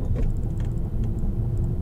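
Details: Peugeot 407 Coupé V6 manual, driving after suspension diagnosis and repair of a noise previously heard from the front left wheel: only a steady low road rumble, no clunks or knocks over bumps; front suspension now sounds normal.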